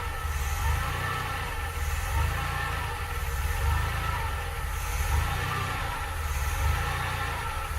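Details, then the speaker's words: 1982 DeLorean DMC-12 5-speed, cold start: low engine drone swells and sags about every second and a half, idle hunting up and down, with an odd low-end sound, though it keeps holding idle. "so there's some serious hunting going on there"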